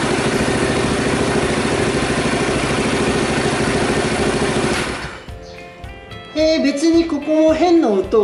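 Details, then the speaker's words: Honda Super Cub rebuilt from disassembled storage, after carburetor cleaning for overflow; steady even idle, no tapping or rattle from the previously suspect cam-chain tensioner, strange noises from last start gone. Normal idle. "strange noises here either. Didn't I hear them from the beginning? I don't really understand it, but for now, it's okay."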